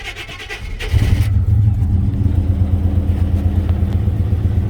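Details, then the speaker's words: GMC pickup with TBI 350 (or 305) V8, reportedly overheated until it locked up, first start after sitting two months: cranks and catches into a deep lumpy rumble that keeps stumbling, missing like crazy, misfire from a blown head gasket. "those run don't sound bad foreign vibrating 's missing like crazy"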